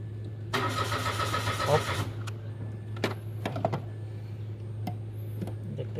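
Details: Mitsubishi Mirage with a no-start problem: about one and a half seconds of starter churning, then stops with no catch; engine cranks but won't fire.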